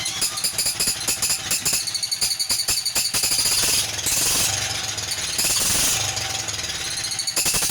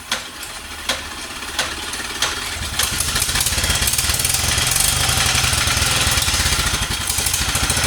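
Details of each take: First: 1947 Whizzer Model H engine, first run after restoration: fast irregular ticking with squeaky chirping on each firing pulse, caused by incorrect copper head gasket from an NE5 reproduction Whizzer leaking. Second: 1947 Whizzer Model H engine running after restoration, spark wire fixed and carb refitted; idles poorly until warm, choke then taken off: crisp even single-cylinder popping at steady fast pace, no knocks; normal running.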